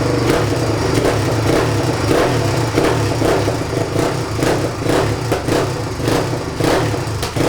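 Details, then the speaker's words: 1997 Suzuki DR350 single-cylinder, neglected, caught fire last run, accelerator pump missing; after idle and mixture screw adjustment, a lumpy idle pops and stumbles at uneven gaps, nearly once a second, with occasional backfires; unsteady idle, cause unconfirmed. "all right I spent more time than I should have trying to make this run right by adjusting the idle speed control and the mixture screw underneath the carburetor right here it's better than it was but still has an unsteady idle"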